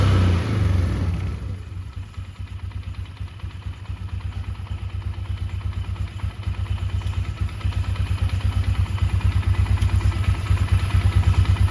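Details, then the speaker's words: 2002 Polaris Sportsman 500 H.O. after new Mother Clutcher primary clutch and new belt, fixing belt walking from worn primary: steady even low thump, no clatter or slap, quieter than original clutch; normal idle. "Perfect. So, clutch fixed it, for sure. Clutch is also a lot quieter than the original one,"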